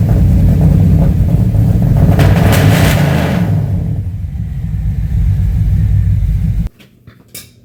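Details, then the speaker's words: 1990 or 1991 Chevy C1500 V8 after unsuccessful fixes incl. temperature sensor plugged in; heavy, uneven rumble that surges, sags and cuts out, runs terrible; owner suspects ignition timing, not confirmed. "So, none of that worked, and the truck runs terrible now."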